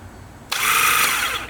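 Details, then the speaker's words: Yamaha Virago XV1100: about a second of high, free-spinning electric whir with no cranking beat; the starter spins without turning the engine, and the owner thinks the starter clutch broke. "that's just the starter spinning, and it's supposed to be connected to a starter clutch that has a gear and it spins, and then whatever. I think it just broke, so I think that's the best I'm going to get for this episode."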